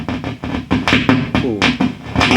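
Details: Marshall JTM45 MkII model 2245 valve amp, after reseating valves: rapid uneven popping, crackling and spitting over steady low hum, motor-boating fault.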